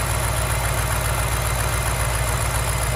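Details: 2006 BMW X5 4.4L N62 V8 idling steadily and evenly with a smooth, unbroken beat and no misses or knocks after a no-start; fuel pump suspected after the tank was run almost dry, fuel pressure now present.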